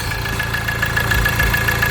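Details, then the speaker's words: Ford Transit Connect diesel at idle after oil sump replacement: light metallic rattle about seven times a second over the diesel clatter, from the worn crankshaft pulley harmonic balancer. "having the crankshaft pulley, as you can see. Crankshaft pulley, harmonic balance of the crankshaft pulley."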